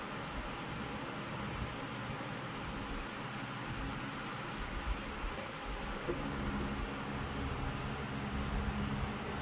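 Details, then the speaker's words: Lasko 2524 16-inch oscillating stand fan after repairs: steady whoosh with low droning hum and rumble as misaligned, badly balanced blade hub shakes violently; rattling possibly from bearings. "For some reason, that blade hub is not aligned either, but it shakes so violently that you can pretty much hear all the vibrations."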